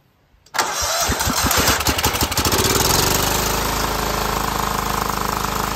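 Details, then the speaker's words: Cub Cadet HDS 2135 riding mower, no-start: cranks with slow uneven pulses about two seconds, then catches and steadies to smooth idle; fuel system needed priming to the pump plus a shot of carb cleaner. "It seems like we just had to prime the fuel system to the pump, and that little shot of carb cleaner was enough to get it fired."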